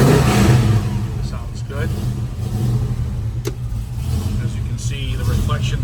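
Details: 1971 Chevrolet Nova, rebuilt 454 V8 bored .030 over, Edelbrock intake and headers, 750 CFM carb, MSD, new dual exhaust: catches quickly after fuel pump heard, settles into deep steady even rumble, no knocks or misses; healthy, oil pressure good.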